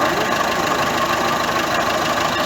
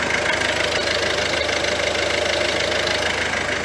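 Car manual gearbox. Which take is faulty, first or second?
first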